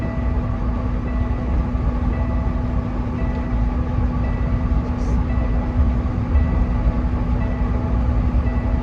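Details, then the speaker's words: Kenworth truck at about 61.5 mph on highway: steady diesel drone with repeating dash warning beep from a bad fuel tank level sender float, not fixable; tank to be replaced, likely under warranty. "You have to replace that tank now because the float's bad in it."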